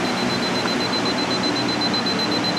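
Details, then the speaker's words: Lance truck camper roof repair: moisture meter gives steady high-pitched beep over the wood, meaning saturated, wet wood. "You hear that beeping? That means uh saturated. So, that's just this wood right here. We know that's wet."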